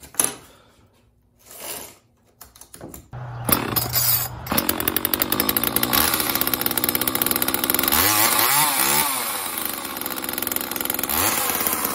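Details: Homelite XL chainsaw after carburetor rebuild, new fuel/oil lines and fuel filter, final test run with bar and chain fitted: fires after a few pulls and revs up cleanly, holding a crisp even buzz with good throttle response.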